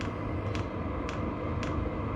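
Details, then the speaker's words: VEVOR diesel heater running: sharp evenly spaced ticks about twice a second from the clicker/pusher-style fuel pump over a steady blower hum; normal clicking. "if this thing's running outside you you'll hear the blower motor and you'll hear the clicking uh it does have a a clicker style Pusher style pump in it that's all it does all night long just clicks"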